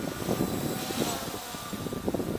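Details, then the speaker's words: MJX Bugs 3 quadcopter on a 3-cell (3S) battery instead of the stock pack, at full throttle: an even, buzzy propeller drone holding steady with no surging and no oscillation, much stronger than on 2-cell. Normal motor sound at full throttle. "yeah that's a full Pelt nothing like God there huge difference in this two and three cell"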